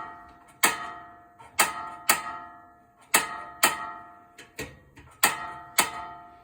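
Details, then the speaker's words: RV stove after turning on the propane: sharp, ringing igniter clicks repeat unevenly with no flame catching while hissing gas purges air from the lines; after a few tries the burner finally ignites. "and shut it off so you don't fill your camper full of gas I could hear it hissing so after a few times you turned it on then it'll finally ignite. see how it took a little while to purge the the dead propane air out of it"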